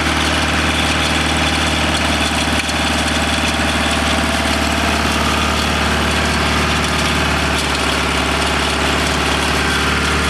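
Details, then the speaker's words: 1987 BMW 518i Lux E28 project car, first start after borrowing a distributor cap and refitting spark plugs and airflow meter: steady fast idle around 2,000 RPM with no misses, no oil pressure showing yet; owner suspects a leak from the engine bottom. "we don't seem to have oil pressure yet it's idling at 2,000 RPM"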